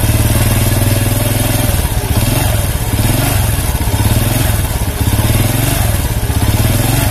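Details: Honda C100 (Grand) single-cylinder motorcycle, small blips of throttle: gritty rough clatter over the exhaust beat, with sluggish acceleration; cam chain and clutch later inspected, cause not yet confirmed.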